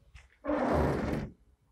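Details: Rear windscreen wiper on a car making a single rough, juddering sweep across wet glass, chattering instead of gliding; blame is put on blade mount not meeting glass parallel, fixed by bending the arm.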